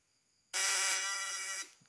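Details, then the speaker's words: Ignition coil vibrator (platinum points) tested with a worn condenser: harsh, rasping, growly ("ngorok") buzz for about a second instead of a clean hum, unlike the new condenser; condenser judged bad and unfit for use. "kita dengar dulu suaranya perbedaan dari kondensor baru dan kondensor yang sudah jelek beda ya suaranya ngorok"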